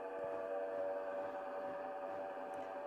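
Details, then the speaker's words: Bosch washing machine on spin cycle, clothes left wet: steady, loud droning whine during spin, not normal, from a failed drive-motor bearing. "You can hear that sound. Yeah, that's not a normal sound for a washing machine to be making when it's spinning."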